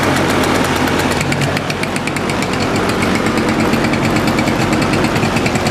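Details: Suzuki Address 110 scooter: crankshaft at 11,373 km, piston kit at 6,392 km with glazed bore and hone marks worn off, NSK bearings. Quick uneven knock about three per second from the engine, remains with variator rollers removed; owner suspects piston or wrist pin.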